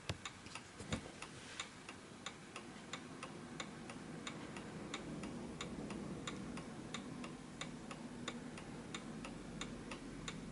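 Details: 1920s 8-day Napoleon hat antique mantel clock, closed and left in position after levelling with the rear lever: crisp, evenly spaced ticks at about ninety a minute in a quiet room; running steadily in beat.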